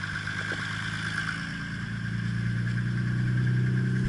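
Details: Nissan R32 GTR RB26DETT engine revving gently: faint steady knock under the hum that worsens with rpm; oil pressure slightly lower; suspected rod knock, unconfirmed.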